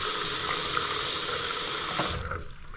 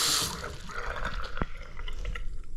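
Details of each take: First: Bathroom basin draining after tap stops: rapid uneven gurgling glugs as the unvented trap siphons over a long waste pipe run down to the garage; fixed with a McAlpine anti-syphon bottle trap. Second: Bathroom basin after fitting a new McAlpine anti-syphon bottle trap: tap water drains with soft splashing and drips, the earlier gurgling gone; drain flowing cleanly and quietly.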